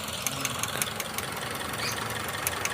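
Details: Toyota Vios petrol engine idling with sharp crisp snapping ticks about five a second: the ignition coil is arcing its spark, causing a misfire.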